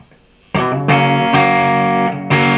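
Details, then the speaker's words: VOX AC30 reissue valve amp after no-output repair, first power-up with new valves: crunchy overdriven guitar chords come through full and steady, no hum, crackle or dropouts; amp working properly. "sounds good he was a little bit worried about the reverb level but i don't think it sounds too bad"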